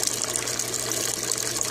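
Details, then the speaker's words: Aquaponics bell siphon on a grow bed, discharge under way with a Venturi working underneath; continuous gushing, gurgling water rush with bright splashy hiss and bubbles, no stalling or sputtering; draining as it should. "E esse barulhinho que vocês estão ouvindo é o Venturi que está funcionando logo aqui embaixo. Dá para vocês verem as borbulhas vindo aqui por baixo."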